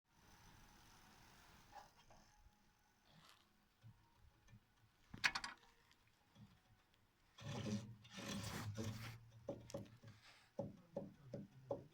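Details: Renault Megane 2 being rocked: quiet at first, then short bursts of dull clunks from the front running gear; worn front beam silent blocks (bushings).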